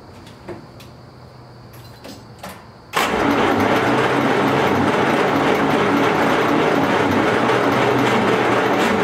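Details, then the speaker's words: 1939 Buick Century after engine rebuild, with better gas and choke closed, adjusting timing and finding it likes more: about four cranking pulses a second with occasional firing, closest yet to running but not running on its own. "foreign a little less timing okay definitely like more timing foreign holy cow that's like the closest it's ever been to running"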